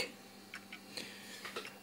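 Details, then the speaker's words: Toshiba Libretto 50CT Pentium-era laptop with its original Windows 95 install, recorded while installing components: faint, irregular clicks over a quiet hum, like heads seeking and resetting; the hard disk is judged to be on its way out. "does tell me that the hard disk is actually on its way out."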